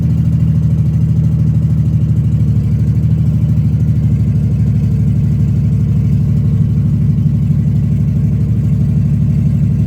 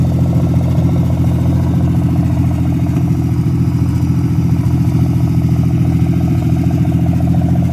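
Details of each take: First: Engine started after repairs, with a bit of fuel squirted in to avoid long cranking: steady low idle with an even, smooth beat and no knocking or ticking; running healthy. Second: Freshly revived petrol engine's first start-up, idling through open extractors: lumpy idle with an occasional pop breaking the beat; misfire from a bad distributor cap and rotor button due for replacement.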